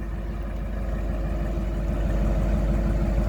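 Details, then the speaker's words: 1953 Buick Roadmaster Model 79R woody wagon, straight-eight, cold day about 28°F: smooth even low rumble with steady beat, no knocking or ticking; healthy, precise-sounding eight-cylinder idle. "a nice 8 cylinder hum not flashy not exciting not muscle-car but certainly precise an expensive sounding"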